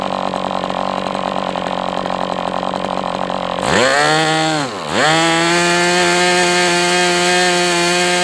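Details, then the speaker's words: MDS 68 FS Pro model engine on a break-in run, heavy exhaust smoke: high steady buzz, a quick throttle dip and recovery, then a smooth even note. Running well, better than with the idle bar plug. "So, I mean, right now I'm not unhappy with this engine. It is what it is, but it seems like it's doing well now. Better than with that idle bar plug, that's for sure."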